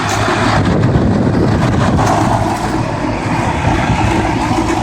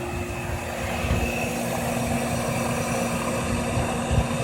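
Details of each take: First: Outdoor heat pump condensing unit, likely an older Goodman, in a townhouse complex: steady, loud heavy compressor hum under a rough, rushing fan noise. Cause suspected, not confirmed. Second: Owner's own 15-year-old Trane Weathertron heat pump outdoor unit, original condenser fan motor: steady even hum, constant low drone and faint fan whoosh, no knocks or rattles; normal running.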